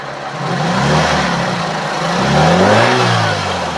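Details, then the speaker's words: 1990 Toyota Corolla Twincam 1.6 SE: revved to high RPM, the pitch climbs and falls smoothly through two clean revs with no knocks, rattles or misses, and no suspicious noises. Normal revving. "kondisi RPM tinggi pun kondisi mesin masih oke aman tidak ada suara suara yang mencurigakan"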